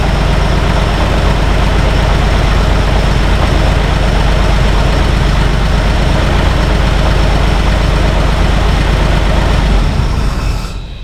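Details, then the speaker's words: Free 1951 Plymouth, formerly locked-up engine, idling with side valve covers off, after transmission swap from a 52 Plymouth: steady idle with light uneven ticking about three per second over the rumble; noisy lifters, owner debating adjusting them. "Lifters are pretty noisy. I'm debating whether or not I should adjust them."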